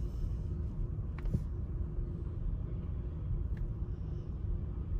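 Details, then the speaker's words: 2019 Chevy Equinox 1.5 L automatic, check-engine and traction lights, running rough and shaking at idle with rpm jumping: uneven stumbling beat; P0300, current misfire on cylinder 4. "so it looks like we got misfires and all of them looks like our current misfire that's acting up is a cylinder number four"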